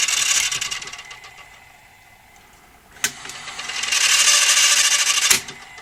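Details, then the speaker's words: Toshiba V5470B Betamax video recorder, after greasing made no difference: thin high motor whir that sags and strains, with sharp clicks; still struggling to get enough torque to start rewind and unlace, unlace motor lacking torque. "still struggling to get enough talk to get the rewind star the unlace started thee yeah I would say my greasing up has made things no better or no worse at the moment"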